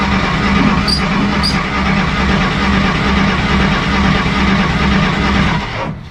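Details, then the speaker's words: 1953 Willys Jeep CJ-3B, after sitting three years parked: fresh points and condenser, choke on, foot on gas; starter cranks steadily about two turns a second but never catches, fuel smelled, owner suspects spark too weak. "i can smell fuel i just i think that sparks really weak which clearly has no fault of our coil probably the other coil's still good"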